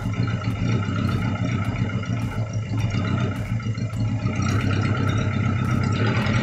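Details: Daihatsu Taruna first start after top overhaul for oil burning (white exhaust smoke); revved, the low, fairly even note holds with no stumble or missed beats. An earlier miss came from one valve clearance set too tight, losing compression; now on all cylinders.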